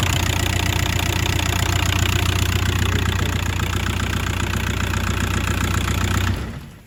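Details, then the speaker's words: 2001 Audi A4 B5 1.9 TDI PD AJM diesel after timing belt and water pump replacement: catches at once and settles into an even, steady idle clatter for about six seconds; the known faulty AC compressor noise did not appear this time. "so they didn't actually make the aircon noise that time so um but see it just struck straight up"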